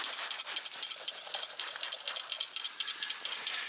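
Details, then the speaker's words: White gas camping stove, shaken while off with the flame diffuser held: light metallic ticks about twice a second from the shaker needle in the jet; the needle moves freely and the jet is clear, not clogged. "hear that ticking yeah that's the shaker jet inside the jet where the fuel comes out and sprays and burns do this for an entire minute if you don't hear ticking when you hold the the top the flame diffuser if you don't hear ticking you gotta seriously clog stove and it's gonna stop working"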